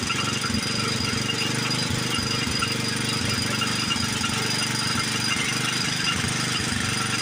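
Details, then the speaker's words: Old Montgomery Ward 32 tractor after an ultrasonic carb clean, new plug and choke set: loud, uneven chugging with a harsh rasp and heavy smoke; the owner suspects it needs a new carburetor and possibly rings. Rough running. "Well, it runs. It doesn't run very good. The carburetor didn't clean up like I wanted it to. I think it's probably going to need a new one."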